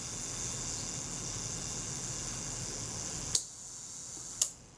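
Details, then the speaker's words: Zeiss Ikon Contaflex II 35mm SLR shutter during servicing, self-timer run-down: even high-pitched escapement buzz for about three seconds then a crisp release click; runs smoothly. "let's try the self timer i'm listening to it running down making sure it sounds smooth"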